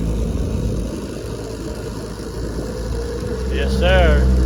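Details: 1968 Evinrude 9.5 HP two-stroke outboard, lake test run after repair: steady burble picking up evenly toward the end with other sounds over it; runs clean and strong.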